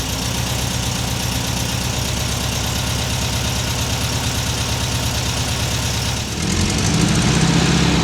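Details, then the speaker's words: 1979 US-spec fuel-injected VW Super Beetle with new Vintage Speed stainless exhaust replacing rusted, leaking original; mic clipped to rear bumper by muffler; busy, even air-cooled chatter at idle, smooth rise in pitch on revs; healthy flat-four, clean exhaust note, normal. "There you have it. Little driving action for the vintage speed exhaust unit on this 1979 Super Beetle. There's the sound, there's the looks, there's the experience."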